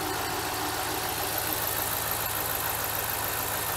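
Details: 2010 Ram Hemi with code P0305, after fuel injector work, freshly started: steady, even idle with light quick ticking, which is normal injector noise; no code returned yet.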